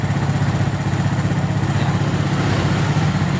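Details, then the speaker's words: Suzuki Smash carburetor setting: air screw turned in until engine nearly dies, then out to find highest engine speed; quick steady single-cylinder putter about four beats a second, raised idle before lowering idle screw. "lalu kita putar kekiri kita buka anginnya cari suara mesin yang paling tinggi ya ini segini paling tinggi ya"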